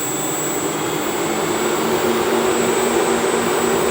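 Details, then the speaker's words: 1978 Chevrolet Malibu Classic, hot after running in the sun, hood open, electric radiator fan setup in after-run mode following switch-off, speed adjustable via temperature setting: steady whooshing air with faint constant whine; normal electric fan operation. "Alright, so the fans just came on. Now that they just came on, I can kind of play around with the temperature here, and I can speed them up"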